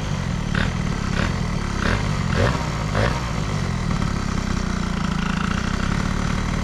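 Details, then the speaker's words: Air-cooled moped with Stage6 103 cylinder, Boost head and crankcases, Stradivario variator and Athena flat reed, fitted with a thicker decompressing head gasket instead of the 0.50 alloy one; lumpy, burbling two-stroke idle, carb slightly rich but not the cause of overheating. "la carbe est un petit peu grasse, hein, comme vous l'entendez. Il y a un petit peu de grassouillis sur le filet de gaz."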